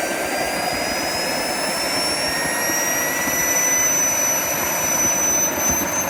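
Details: JetCentral turboprop turbine on its first test start, with a temporary wrong-size propeller: a smooth steady roar with clean high whistles climbing as it spools, no surging or rubbing; it runs well.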